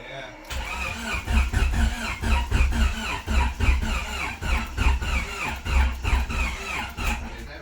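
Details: Car with newly installed engine after blown turbo, first start attempt with oil catch can fitted: steady starter cranking about three and a half beats a second, engine never catches; crank no start.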